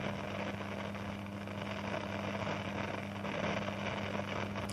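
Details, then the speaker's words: Hum from the Ahuja 4040S amplifier/cassette deck speakers with the volume at zero: a steady low hum and constant buzzing tone from both speakers, louder on one. The source of the noise is not yet found. "तो यह speaker में से देखो तो कि ऐसी आवाज़ आती है उसका वॉल्यूम बंद है अभी देखो"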